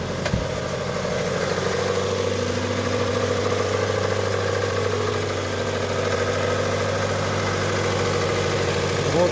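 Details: Mitsubishi Outlander 2010, 2.0 4B11 petrol, odometer 207 (possibly rolled back), burning 1 L oil per 1000 km: loose uneven knocking rumble at idle plus a whistling roller; worn cylinder four bores suspected; piston slap.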